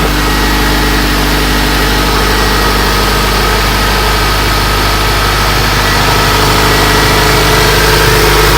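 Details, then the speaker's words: Honda Civic EM1 just after engine installation, running in open loop with no check-engine light, fuel leak noted: steady idle rising slightly in pitch as it tries to idle up toward closed loop during warm-up. "but it should be idling up right now to get it into closed loop, and it's idling like at a your normal like idle, but it sounds like it's coming up right now, so."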